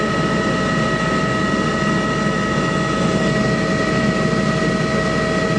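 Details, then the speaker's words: 15-ton Trane rooftop unit on a no-heat call, jumpered R to W1: blower click, glow coil click, then burners light and run with a steady even roar, no surging or popping; normal burner operation. "there's the click the blower motor you can hear another click and then it should fire that other click is the glow coil"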